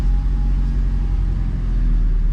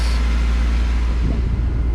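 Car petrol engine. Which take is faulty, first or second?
second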